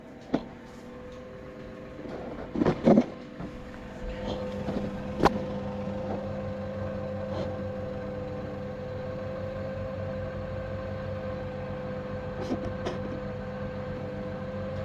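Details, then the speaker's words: Saxon wood heater blower fan after cleaning dust from bearings with electrical spray and lubing the bushing: a few handling knocks then a steady, even hum, quiet and smooth; normal blower fan running. "and um after a few minutes when it's been running it should um be nice and quiet and smooth"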